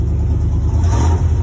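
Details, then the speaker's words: 1996 Chevy Silverado OBS V8 on a very cold start after cleaning the idle air control valve: picks up cleanly on a short throttle blip, no stumble or bog, idle settles smoothly; normal cold throttle response. "it's on the cold start and i'm able to throttle it i think that's a good sign idle went back down smooth"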